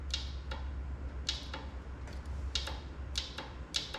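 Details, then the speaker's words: Old Yanmar diesel military portable air compressor, fuel system overhauled; fuel shutoff solenoid jumpered hot to battery gives sharp, irregular metallic clicks, normally pulling in to allow fuel to the injection pump. "clicking so when it does this it should be allowing fuel to go to the injection pump but we're about to find out there it is"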